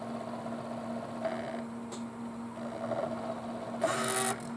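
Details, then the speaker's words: Sony PlayStation after its noisy optical pickup was disassembled, cleaned and regreased, loading a game: soft intermittent whirring and brief laser seeks over a faint steady hum, no grinding. Much quieter than before. Normal optical drive operation. "it's really quiet guys you can hardly hear it the only time you can really Airy is when the laser means of distance there"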